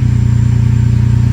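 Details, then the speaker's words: Ferrari 456 V12 after replacing fouled spark plugs with new gapped ones to fix random misfire: even steady low rumble with smooth rapid pulses and no skips; clean idle for now, coils suspected if misfire returns. "But at least for now, feels like it's running really smooth, no issues."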